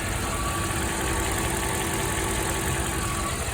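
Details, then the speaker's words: Mercedes E420 V8, warm, after ticking began following rebuilt throttle body reinstall and a drive to nearly 5,500 rpm: steady even idle, only the faintest possible tick left, much improved; normal idle. "I don't hear much of anything right now. Maybe the faintest sound over here still. hard to tell, but I mean, definitely noticeable from where it started."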